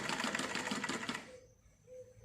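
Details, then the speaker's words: Home sewing machine that was stiff, noisy and breaking thread, after cleaning, oiling and thread-tension adjustment: light, quick, even needle-and-feed clatter for about a second. Runs freely with even stitching. "ये देखो सिलाई एकदम आप देख सकते हैं बराबर, कोई भी दिक्कत नहीं है।"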